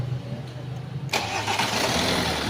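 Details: Hyundai Accent CRDi diesel with a hard-start, crank-only fault, after relay work: quiet for a second, then it fires at once and settles into a steady, even clatter; starts promptly and runs normally.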